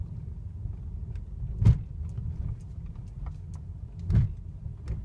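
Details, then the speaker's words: Mercedes W212 cabin on a rough road after the fix: wiper unscrewed, plastic trim at the windscreen base lifted and sprayed with WD-40. Only dull thumps over bumps are heard, with no squeak from the dash or windscreen area. "кроме ударов ничего не слышно никакого скрипа"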